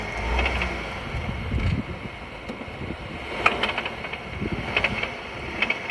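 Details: VW Tiguan: scattered light metallic rattles and ticks under the running noise as load shifts; owner asks what it is, drivetrain rattle on load change, suspects gearbox or dual-mass flywheel, unconfirmed.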